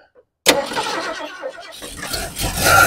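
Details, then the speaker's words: 1972 Ford Ranchero on its first start during revival, with vacuum lines plugged off: the engine catches after a quiet gap and the idle climbs quickly to a fast, uneven race; a vacuum leak is suspected. "sounds like we may have a vacuum leak somewhere the way it idled up you hear how the motor just sped way up"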